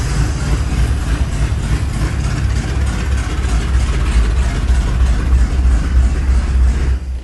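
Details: 1983 Chevy C10 square body, motorhome 350 built with used performance parts (Edelbrock Performer RPM cam), new Holley 4150 750 carb replacing the Quadrajet, PCV valve added, choke kicked off, cold shop: even V8 idle, revs cleanly, settles smoothly before shutdown; healthy.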